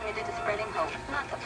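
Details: 1960 Philco transistor radio after electrolytic capacitor replacement, diagnosed with Philco Trace sheets: clear broadcast plays steadily from small speaker, no crackle, hum or fading; receiving properly, repair successful.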